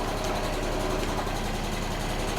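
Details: Piaggio Ciao two-stroke moped being revived, on a lift with no battery, running after clutch refit: steady buzzy idle holding an even pace with no misses or surging. Normal idle.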